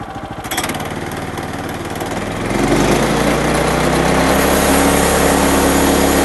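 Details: Woodland Mills HM126 portable band sawmill, 9.5 hp Kohler engine, centrifugal clutch driving the blade with water drip on: runs evenly then climbs to a steady loud drone under cutting load, no surging or knocking; cutting normally.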